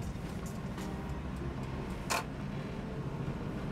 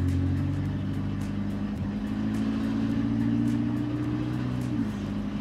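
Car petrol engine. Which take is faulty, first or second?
second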